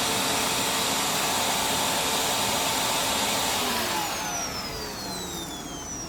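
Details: Simplicity Symmetry upright vacuum after reseating the lifetime belt: steady high airy whirr from motor and brush, then a smooth falling pitch as it spins down slowly because there is no carpet or floor resistance. It is running normally.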